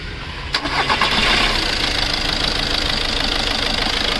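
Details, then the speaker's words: VW Polo/Vento diesel after injector work and air bleeding with injector codes present: catches after a brief crank and settles into a steady even diesel idle with light clatter, no misfire; running normal. "Okay இப்போ start பண்ணியாச்சு. இப்போ நார்மலாக தான் இருக்குது."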